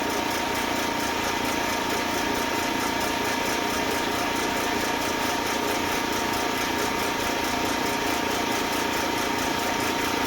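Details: Eastwood Elite QST 30/60 scroll air compressor after replacing its failed pressure switch, pumping near 140 psi toward the 145 cut-off: even, unbroken motor drone with a steady hum and no knocks; running smoothly.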